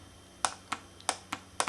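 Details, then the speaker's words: Mazda B2000/B2200/B2600 vacuum solenoid bench-tested with wires to battery after sanding corroded terminals: crisp light clicks as power is applied, solenoid switching normally. "take your positive wire connect it to the other terminal and now we should be able to hear a click there"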